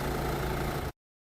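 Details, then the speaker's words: Mercedes A-Class with 1.5 K9K Renault diesel that had been running very rough, after new injectors fitted and coded and fault codes cleared: short stretch of steady, low diesel idle with no misses or knocks before it cuts out; normal idle. "And now it sounds like a Renault diesel again."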